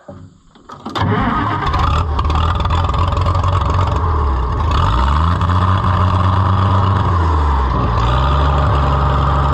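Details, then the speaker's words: White 2-70 gas tractor test-fired during repairs after fuel was shut off for overflowing: brief crank, catches at once and settles into a steady, even low idle; starts and runs cleanly, "really don't run bad at all." "sweetheart [Music] really don't run bad at all"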